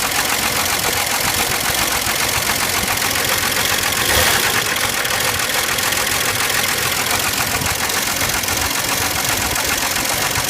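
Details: 1989 Jeep Renix 4.0 petrol inline-six idling with a steady, fairly regular knock tapping through the engine noise; engine to be replaced.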